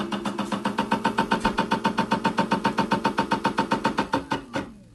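Sharp, even knock about 220 times a minute, nearly four a second, over a quiet run; a ticking knock whose cause is unclear.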